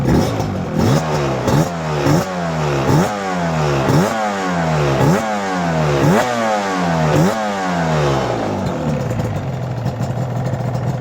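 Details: Yamaha R1-Z two-stroke engine starting after full top- and bottom-end overhaul: crisp blips about one a second, each rev climbing and falling cleanly back to a steady idle; healthy, free-revving.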